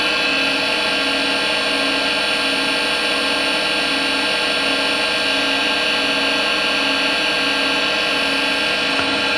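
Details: Harvey wood lathe spindle at about 1600 RPM, before a bearing replacement: steady high whine with ringing tones, no knocking, averaging about 64 dB, similar to an older lathe. Manufacturer recommended new bearings; bearings suspected, unconfirmed.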